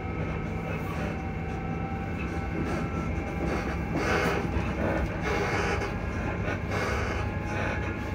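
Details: Class 334 electric train running from Edinburgh Park towards Haymarket: running rumble with steady whining tones and irregular clunks and rattles about once a second, noisy suspension.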